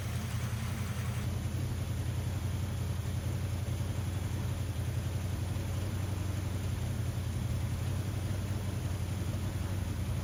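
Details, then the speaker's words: 1979 Ford F150 after carburetor rebuild with float height reset: steady low idle with slightly uneven loping beat, runs on its own but rough; owner suspected misfire from loose plug wire boots, reseated, still needs tuning. "it seems like I'm having a like ignition issue like a misfire"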